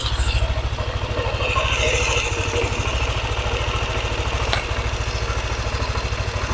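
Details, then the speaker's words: Yamaha NMAX scooter, previously ticking only when hot, now at 81 °C: smooth even idle with no ticking on top, sounding healthy; normal hot idle. "pertanda Ini motor suhunya sudah panas ya suhunya sudah panas kita dengarkan untuk suaranya"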